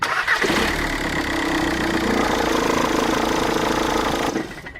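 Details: 2006–2010 VW Caddy 2K 1.9 TDI (BJB/BLS) diesel with 6-speed DCT: on start, loud screeching serpentine belt squeal and rapid tensioner flapping, caused by a failing alternator one-way overrunning clutch pulley.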